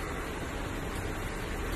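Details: Old Toyota Reiz, rear-wheel drive, after replacement of cracked differential mounts: engaging a gear now gives a steady, even idle rush with no clunk from the rear axle, where worn diff gears were thought to be a possible cause.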